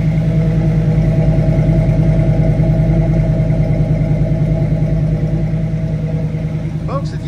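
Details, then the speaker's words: 1967 Chevrolet Camaro RS, V8, idling: deep, steady burble with even pulses, no misses or ticks, heard at the rear mufflers; healthy exhaust note. "You hear that strong V8 just chugging away. Great sound though is coming out of these mufflers back here. It sounds fabulous."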